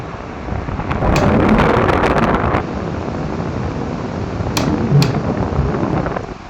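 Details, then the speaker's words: Zamil split AC indoor unit: irregular sharp clicks, a few per second, over fan whoosh from the louver swing motor, not the blower; caused by the swing motor lock not seated properly. "तो ये blower motor जो है उसका sound नहीं है, ये swing motor का sound है। जो देख सकते थे अंदर के साइड में जो स्विंग मोटर होता है, तो ये वाला वो स्विंग मोटर है जिसका साउंड है। मैं ये जो देख रहे हैं लॉक सही से लगा हुआ नहीं है, इसकी वजह से ये साउंड आ रहा है।"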